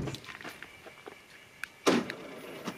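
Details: Peugeot 605 power window: short electric whirring runs ending in a soft thunk as the glass stops; window working normally.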